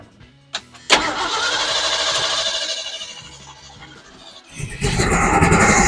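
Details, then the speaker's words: 1977 Ford F250 4x4 after carburetor rebuild, rusty fuel filters, refuelled after running out; cranks, catches, surges unevenly and sags before picking up; rough running, owner suspects clogged fuel filters needing replacement again. "And it does that. I think I definitely need to change those fuel filters again."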